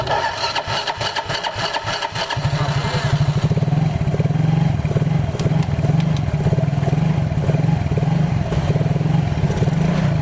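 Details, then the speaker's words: Yamaha Mio GT scooter started with jumper on weak battery, tested without the front pulley to check the engine core: a few cranking bursts, then a steady even beat with no grinding or knocking; engine core is fine. "setelah kayak gini baru kita tes suaranya tanpa pulih depan kalau suaranya hilang berarti di bagian mesin tengah itu Nggak masalah ya atau nggak ada yang rusak"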